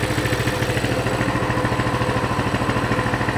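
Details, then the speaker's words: Coleman CT200 mini bike, non-adjustable carb, throttle return spring disconnected: a steady, even putter at about 1600 rpm, within 150 of the 1700 target, fluctuating somewhat. The clutch no longer engages: a normal idle. "so we're at 1600 so we're within 150 of the 1700 mark it's fluctuating quite a bit but there you go"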